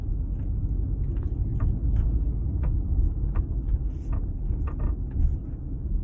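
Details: 2016 Audi Q5 Premium Plus, 19,000 miles, while driving: faint irregular creaks and ticks over road rumble from the panoramic sunroof. Diagnosed as worn sunroof rails needing replacement.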